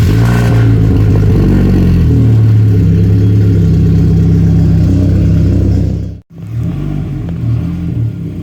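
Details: 1992 Saab 900 naturally aspirated 2.1 with newly welded exhaust; engine catches and revs with a brief metallic clatter at startup, then settles; rattle from exhaust hanger still needing adjustment.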